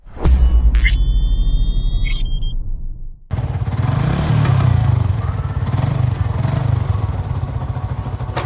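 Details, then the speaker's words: Yamaha Jupiter MX with 65 mm bore-up (about 200 cc), single cylinder, checked before teardown: steady, even low idle with no knocks; sounds normal and holds idle. "Nah setelah kita cek sound suaranya sih aman-aman aja dan motornya juga mau langsam jadi aman-aman aja gitu"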